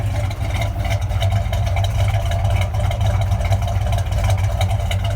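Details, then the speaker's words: Car with a Holley carburetor after accelerator pump repair: steady, even low burble at idle with no stumble or hesitation, only a slight pipe rattle on one side; running well. "I haven't looked at that yet, but right now it sounds pretty good."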